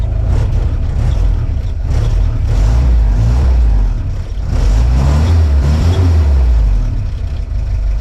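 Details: 1955 Willys CJ5 Jeep four-cylinder revved in place just after a brand-new exhaust system was fitted replacing a holed old one: deep exhaust with a brief stumble as revs climb.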